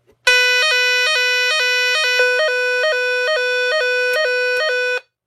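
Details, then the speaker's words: Repaired Nugelec NUG31218 type 4 one-loop fire alarm panel: loud siren stepping quickly between two pitches, steady and clean; alarm sounds as it should after repair. "Donc en tout cas, elle marche bien. Je suis content, je l'ai réparée."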